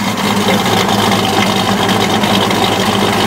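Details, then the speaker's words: 1995 Dodge Dakota club cab with a professionally built 390 stroker and Hughes Engine aluminum roller rockers, just started after double fuel-pump prime: deep, steady V8 idle burble, no knocks or ticks; normal healthy idle. "the idle exhaust note. There's the motor running."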